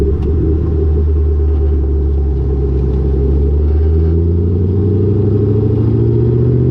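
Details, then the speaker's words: Lowered car (rear coilovers) with Borla catback, after a header-wrap fix on the over-axle pipe: deep steady exhaust drone rising gently as the car pulls, with no thuds or knocks; the exhaust no longer hits the axle. "I don't hear my exhaust hitting any suspension components anymore, and I don't even hear any like thuds or like knocking. It's literally silent."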